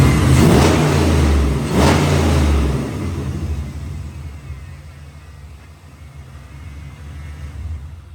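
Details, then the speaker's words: LS-swapped 1994 Chevy pickup after replacing the computer and mass airflow sensor: engine blips up freely twice, then settles to a steady, even idle, no longer rumbling as before. "the idle's great they don't sit there and Rumble like it did the other day you rev it"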